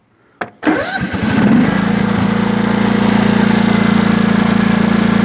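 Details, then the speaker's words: Sears Craftsman Honda 42-inch riding mower, twin cylinder, after backfiring fix with homemade gaskets, cold start on choke: crank, quick catch, then steady even idle with no popping or backfire; runs nice. "So we're going to start it up now, and we're going to see how it runs. Now with the Honda, you always have to choke it."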